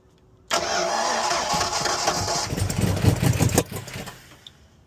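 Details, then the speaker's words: Owner-built Foxbody Mustang V8 (heads, cam and intake, sat two years), after re-stabbing a distributor that had been 180° out: it barely catches, then stumbles and chuffs unevenly before dying; every cylinder has low compression, with an issue at cylinder eight. "Yeah, that is not sounding good. Sheesh. Yeah. Uh, [laughter] we going to need to do further diagnosis on this. All right. So, it just started [ __ ] pouring on me, but every cylinder on the car is pretty much low."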